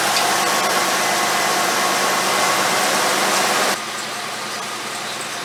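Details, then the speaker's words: 1989 Chevy K5 Blazer with GM TBI engine, startup before timing adjustment: engine runs with a flat, loose hiss and no strong bark against compression; ignition timing retarded, to be set with a timing light once fully warmed up. "You'll be able to tell that it's definitely not advanced, because it doesn't have that roar where it's fighting the compression. But you'll hear it. It sounds like loose almost."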